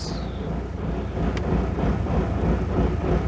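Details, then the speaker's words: VW/Audi 1.9 TDI diesel after injection pump timing was corrected: heavy, lumpy low chug at about three pulses a second, engine shaking and running very rough; fault blamed on the fuel pump's upper electrical part, code 01268. "The ignition is now okay, but engine is running very rough, and the problem is upper part of the fuel pump. So yeah, you can see and maybe hear how it's going."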